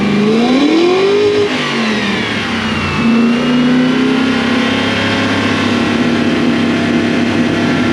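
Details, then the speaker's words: Toyota Celsior (1UZ V8, LS400 badges) after a second-hand airflow meter was fitted; revs climb and drop cleanly, then settle to a smooth idle with no popping: normal revving. "Does that now sound like it's meant to sound? Yes. Is it popping? No."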